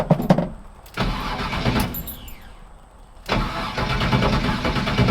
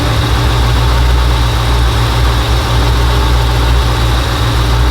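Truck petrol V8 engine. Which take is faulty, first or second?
first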